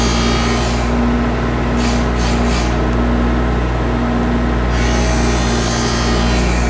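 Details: Skate sharpening machine profiling a pair of CCM hockey blades, toe adjusted as the blade pivots on the heel bearing: steady low hum with light scraping as the wheel just touches past the front line; normal profiling grind.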